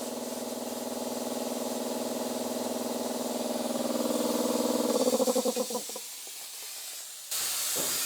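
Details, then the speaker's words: Air compressor powered up after long storage, drain valve underneath open or missing a piece: loud steady hiss of escaping air that flutters and fades as pressure drops, then hisses again; tank drain valve air leak. "sounds like the valve underneath is open"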